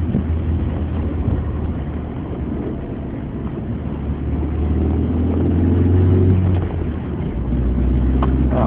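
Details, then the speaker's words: Mitsubishi Ram 50 mini truck driving on the road: over the low road drone a faint, steady gear whine rising slightly with speed. "You hear that little gear whine?"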